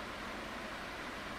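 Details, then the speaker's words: 2002 Midea 16-inch oscillating pedestal fan with mesh grilles, before restoration, running on low speed: smooth, even airy whoosh with no knock or wobble, the characteristic turbulence noise of mesh grilles; normal. "yes so it does have that characteristic mesh Grille fan sound of the turbulence"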